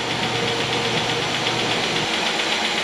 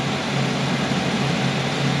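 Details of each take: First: 2008 Chevy Equinox 3400 engine right after first start following head gasket replacement: fast light tapping over rough idle, no check engine lights; valve train a little dry, hoped to quiet as oil circulates. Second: 2008 Chevy Equinox 3400 engine after head gasket replacement, running several minutes with thermostat open: smooth steady idle, earlier lifter tick gone, no check engine lights.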